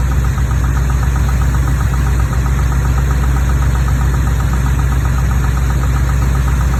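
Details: Chevrolet Corvette 350 small-block V8, 43 years old, 48,000 miles, idling: light rapid tapping about four per second on the driver's side, felt in the valve cover, passenger side smooth; owner asks whether something needs adjusting.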